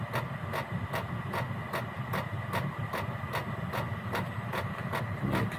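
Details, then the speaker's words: Gearlasso 8kW 12/24V Chinese diesel heater on program 01, about 18 minutes running, burner chamber 72°, 13.2 V. It is warming up: steady fuel-pump ticking about two and a half per second over a low fan hum. Normal warm-up. "Here it's speeding up a little bit now. It's just warming itself up."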